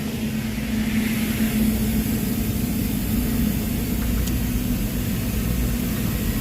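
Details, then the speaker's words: Budget replacement ice machine head (swapped for Manitowoc, remote condenser) entering harvest: compressor still running, hot gas valve on sending hot gas through evaporator, water valve adding; steady low hum with faint hiss, normal harvest cycle. "So there's harvest. So it's still running the compressor. It just turned on the hot gas valve. Now it's going to run the hot gas through the evaporator."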